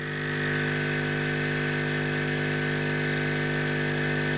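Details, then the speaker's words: Hailea ACO 318 45 W air assist pump for laser, on table: constant deep hum with low buzzing bass drone, no change; pump vibrating and skating across the table, transmitting noise. "5 Watt and any pump that makes a reasonable pressure is going to make a noise but this gives of a bass type noise which really aggravates my ears"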